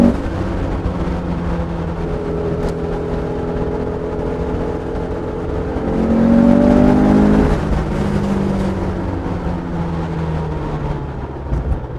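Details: 1967 Porsche 912 on first test drive with newly installed 2.1-liter engine, accelerating; occupants say it has a lot of power and sounds very smooth. Smooth even flat-four note climbing steadily through the revs, no knocks or misses: normal acceleration.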